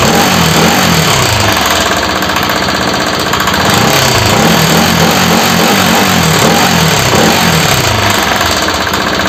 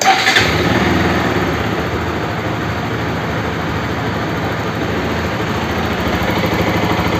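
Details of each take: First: Bajaj RS200 with an engine noise problem: single-cylinder ticking over with an uneven mechanical clatter about three times a second; something noisy inside, cause unclear. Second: Bajaj RS200 single fires up and settles into an even, steady run, no knock or rattle standing out; normal idle and rev.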